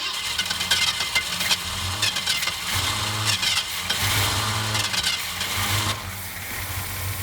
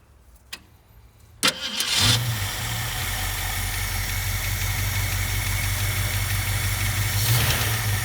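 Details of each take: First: 1967 Ford Mustang convertible, first start after 29 years parked, cold snowy day: cranking with ragged firing in uneven bursts, then fading; runs only on poured fuel, not getting gas, fuel starvation. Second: 1967 Ford Mustang convertible V8, parked since 1994, after replacing all fuel lines and rubber pieces: brief crank, then a steady low idle with a couple of slight rises; runs evenly, but smoking badly, gaskets presumed bad.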